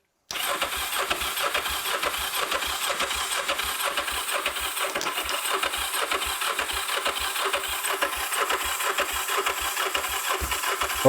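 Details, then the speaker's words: Kawasaki GPZ 500S motorbike left outside three to four years, choke on: starter churns steadily but sluggishly for ten seconds without catching; owner suspects a weak, limp battery and charges it longer. Cranks but won't start. "just trying to go she was trying to go so I think the battery was sounding like it was a little bit limp"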